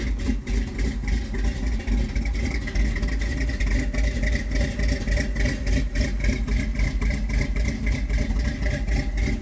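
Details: 1978 Ford F-150 4x4, 351M/400 V8 with a new Holley 4160 (electric choke), Edelbrock intake, Hedman headers, Flowmaster duals: an uneven, loping, rich-sounding cold-start idle that smooths out when warm. The choke was releasing too late; the fix was adjusting it to release sooner.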